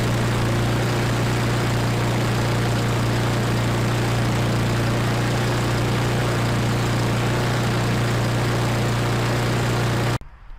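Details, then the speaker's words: Husqvarna LC 221RH self-propelled push mower with a Honda GCV160 engine, repaired after fire damage, running on a stand at about 3600 rpm on the tachometer: a smooth, even high-speed drone with no misses or knocks until it cuts off; normal running. "everything seems to be working now rpms or running around 3600 as you've seen on the uh tachometer"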